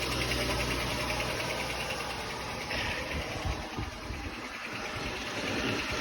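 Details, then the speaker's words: Jeep Grand Cherokee at idle after start-up, heard under the driver's door: faint, fast uneven tick that quiets after the cool-down cycle; owner suspects an exhaust leak at the muffler it bottomed out on, or the exhaust manifold; shop blamed the harmonic balancer. "There's a very faint tick. And that tick gets a lot quieter once it goes through the cool down cycle. So this is under the driver's door."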